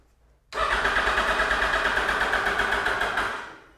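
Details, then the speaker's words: 2008 Yamaha FZ1 after oil/water pump and clutch replacement, cranking to prime new oil pump after sitting a long time: starter turns slowly and laboriously, about three strokes a second, then fades; weak, dying battery, no oil light seen. "Yep. Battery is dying. This thing's been sitting for some time."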